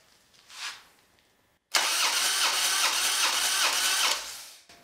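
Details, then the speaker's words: Harley Dyna with a rebuilt engine but original heads, which broke down on a road trip and won't start: compression test cranking with release valves closed reads 170 front and about 80 rear; weak rear cylinder, a pressure leak; owner suspects heads. "all right it's about 80. so there's the problem somewhere there is a pressure leak or a vacuum leak whatever you want to call it"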